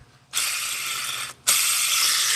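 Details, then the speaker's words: 2015 Mustang 5.0 clutch job: removed release bearing, spun by hand close to the mic, gives a dry raspy whirring rattle in two bursts, the annoying noise heard when letting the clutch off; rough-running release bearing suspected. "right in the mic that's an annoying noise when you let the clutch off in in a standard car I know you guys have all heard it"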